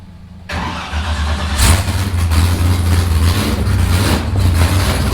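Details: Freshly built V8 in an S15, first start after pressurizing fuel rails and filling the radiator, before exhaust is built: brief crank, catches at once, lumpy deep rumble with hand throttle blips; normal start-up and running.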